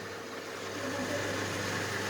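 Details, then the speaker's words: Electrolux 5.5 kg front-load washer being repaired for not powering on (faulty power-supply parts): drain mode test, relay switches the drain pump motor, an even low electric hum with no rattle or grinding; normal drain pump operation. "ครับได้ยินเสียงเป็นเสียงมอเตอร์ดูดน้ำออกนะครับจะได้ยินเสียงไอ้ตัวที่เรย์ต่อให้มอเตอร์ทำงานนะครับ"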